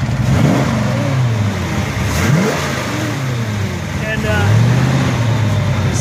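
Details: 1933 Buick Series 60 pro-touring street rod, warm, running at about 141 degrees temperature on a test drive. The engine pulls up cleanly under road noise with no knock; the cold-start noise has subsided. Healthy.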